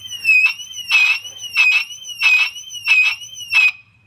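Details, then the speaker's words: 2006 Mercedes-Benz W211 E350 4matic alarm siren, disconnected from the car during replacement: about six weak, uneven rising-falling wails as the siren's own internal battery runs it down; the siren is failing on backup battery. "you can hear it mechanically dying as [Music] well the car doesn't care anymore it's it's separate from the car now"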